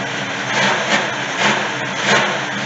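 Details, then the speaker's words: 1971 Chevy C10 V8 that sat long in a yard: deep steady idle burble with gentle rise and fall every half second, smoking a bit, no gears engaging (low trans fluid suspected); engine runs healthy. "She sounds good though. She's smoking a bit. She sounds pretty darn good."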